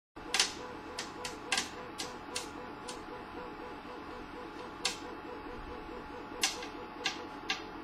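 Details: CTC 3D printer: sharp irregular knocking clacks, several a second and some in quick pairs, over a soft repeating motor hum, coming from the top right corner of the printer; cause unknown.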